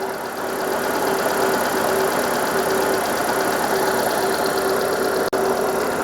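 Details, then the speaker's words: 2000 Mitsubishi Carisma GDI Elegance at 69,237 on the clock, first start on a jump pack, heard in the engine bay: smooth, even idle with a steady low hum and no knocks or misses; healthy engine. "Have a listen to that note. Yeah. Sounds all right, doesn't it? Sounds fine. In fact, that sounds really nice."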